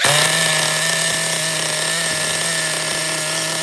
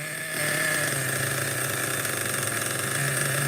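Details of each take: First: Schumacher XTR-3E nitro stadium truck on first fire-up restart, no preheat, engine very cold: rough buzzy high-pitched drone that barely revs and sags near the end; beyond rich, no more RPM available, needs leaning out. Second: Schumacher XTR-3E nitro stadium truck on first fire-up, engine very cold: small nitro engine buzzing at a fairly high, steady idle with even pitch, no stumbles or misses; idle relatively okay, normal cold idle.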